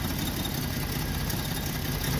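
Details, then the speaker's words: Free Jeep six-cylinder with a new distributor and new plugs: low, deep idle with an uneven, stumbling beat, and the first exhaust runner reads low on the temperature gun, so it is not firing evenly on all six cylinders. "so it seems like it's not firing on all on all six perfectly yet but i did put a new distributor on it these are all new plugs"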